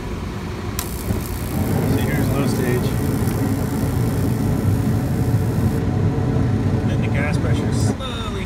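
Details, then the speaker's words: Bryant (Carrier) gas package unit, two-stage, on low fire: steady low rough buzz under the burner roar; flame rectification weak on low stage, fine on high, flame sensor change didn't fix it, suspected faulty gas valve. "see right when I was yaking on that last clip about changing the flame sensor over that wasn't the problem either cuz you heard it starting to buzz again"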